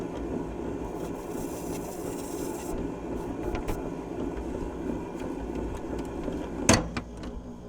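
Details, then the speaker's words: 1978 Fisher-Price phonograph, model 825, running with a microphone set up: a quiet motor hum with a rough, scratchy running noise over it and a click near the end; it runs fairly well but is noisy, with platter wobble. "Well, it seems to run fairly well other than the noise and it's got a little bit of a wobble to it."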